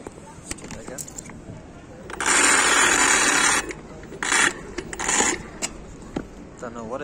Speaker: so this motor's been making a noise i'll hold it and i'll accelerate and you can hear it